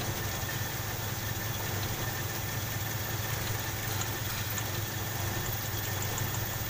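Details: Toyota Kijang Krista 5K/7K carbureted engine, complaint of stumbling and lack of power: steady idle with a faint uneven lope, one cylinder not pulling its share; dead-cylinder misfire.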